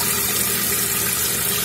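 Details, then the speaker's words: Toilet tank opened: steady hiss of water pouring continuously into the bowl without shutting off; running toilet, flush valve flapper not sealing. "Alright, so we'll see the flush full cock, still pouring water into the toilet, it's just not stopping. What's going on here?"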